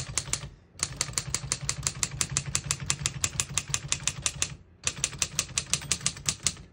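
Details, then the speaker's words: 1955 Underwood Universal portable typewriter, margins set at paper edges, single line spacing; crisp rapid key strikes in bursts with short pauses, margin bell, working normally. "Once you hear the bell, you're at the end of the margin. You hit the line space, gets you back to the beginning, and skips 1, 2, or 3 spaces."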